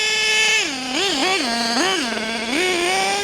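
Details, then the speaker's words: New, running-in HPI Savage GT6 nitro RC engine: screams up and drops back in quick throttle bursts, revs flaring freely because the factory-loose slipper clutch is slipping and needs tightening. "I might have to try and tighten that up. That's slipping. Yeah, I don't like that. That slipper clutch is slipping."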